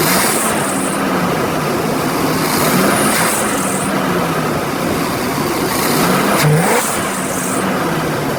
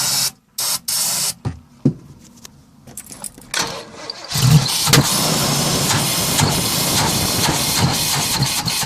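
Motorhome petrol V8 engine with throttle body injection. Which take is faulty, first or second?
second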